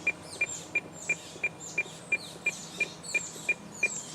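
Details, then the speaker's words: President McKinley CB radio with adjustable-tip Firestik antenna pulled down to mimic a mismatch: sharp high beeps about three per second, the automatic SWR warning that SWR is not correct. "that beeping that tells me the SWR is not correct"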